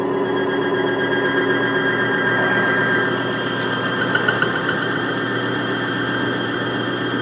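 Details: Bearing friction demonstration rig for BG MOA PN115 oil additive, on a new bearing surface with load raised slowly: steady high squeal over the rig's whirring motor, holding as load rises; bearing friction squeal under load.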